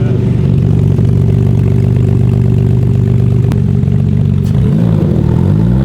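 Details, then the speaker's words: Porsche 911 GT3 RS flat-six that Porsche refused to fix; inlet cams replaced on both banks, right-bank exhaust lifters only. Revving unevenly with a stumbling beat and loose clatter; misfire faults on cylinders 4 and 6, owner suspects the exhaust cam. "Something don't sound right with that. Four faults. Yeah. Damn. Four and six misfiring."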